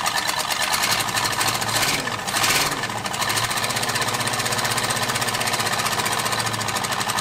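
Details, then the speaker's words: 1978 Ford F150 Ranger Explorer V8, bought flooded (water drained from engine), first start: loud, choppy, stumbling lope, one cylinder dead; traced to a missing spark plug wire on number eight; timing and plugs also suspected. "oh that's why I'm missing a spark plug wire on number eight"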